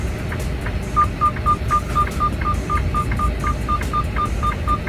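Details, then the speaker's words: Semi truck stopped at under 5 mph at idle: steady four-per-second beeping because the burnt-up, disconnected driver's door module makes the truck think the door is open; awaiting replacement module. Door-ajar warning chime from shorted door module. "the only problem is every time we stop under five miles an hour we have this beeping going on it's about to happen right now because the driver's door thinks it's open because the module is not connected so because it's burnt up"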